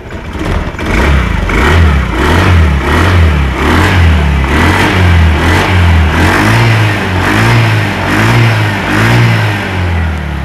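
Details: Honda Scoopy FI scooter that stalled on rough roads, revved after pulser-area work: repeated blips rising and falling cleanly with no knocks or rattles. Normal revving.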